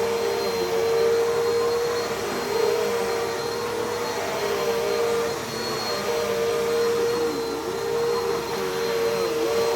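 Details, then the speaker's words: Never-used Bissell CleanView with 8 amp motor, fingertip power switch, genuine Bissell belt: steady fairly high even whine over soft airflow; quiet but whinier than the other CleanView, belt surprisingly not stretched, normal running. "it's actually not too loud it's actually pretty quiet but I can tell this is the 8 Amp motor because it's a lot whinier than the one in the other clean View"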